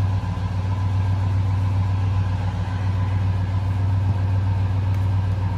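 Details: 2003 Ford F-150 Harley-Davidson edition V8 idling after SCT BA2600 MAF install and matching ECM tune; steady even low idle hum, no stumble, tick or hunting, no check engine light; an exhaust leak is acknowledged; runs smoothly.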